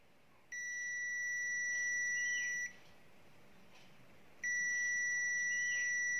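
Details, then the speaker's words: Zotek ZT111 digital multimeter on the continuity/buzzer setting, testing phone circuit components: two steady high-pitched beeps of about two seconds each, showing the probed points are shorted. "chúng tôi kiểm tra bằng cách sử dụng bộ rung hoặc âm thanh bằng âm thanh có, đối với âm thanh này, thường nếu nó ngắn hoặc ngắn, âm thanh phát ra như thế này"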